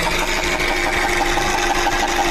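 Fast, even ticking of about six a second sits over a busy mechanical whir; that points to a noisy oil pump.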